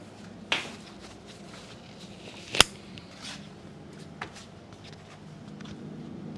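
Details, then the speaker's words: Trash-picked Whirlpool side-by-side fridge, model ED5HVAXVL01, not cooling, with the back panel off: a quiet room, a sharp click, then silence with no compressor hum. The overload trips because of either a locked compressor or bad start components; the cause is unconfirmed. "hopefully you guys heard that click that was the sound of the overload clicking off so again either we have a locked up compressor or we have a problem with the star components"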